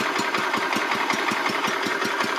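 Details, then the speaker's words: Restored 1985 Wheel Horse 312-8 garden tractor, after a multi-month revival: steady idle with evenly spaced firing pulses about five a second and no misses or knocks, on a cheap aftermarket carburetor that works well; normal idle. "That's nice, ain't it? Just one of them cheap aftermarket carbs ended up working pretty good on this."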